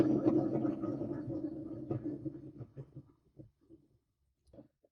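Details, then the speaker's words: Cub Cadet ZTS2 zero-turn mower deck, 60 hours: spindle spun by hand gives a gravelly rough rumble fading over three seconds; bearing suspected burnt up, not confirmed. "that one is probably a burnup bearing with 60 hours on this lawnmower"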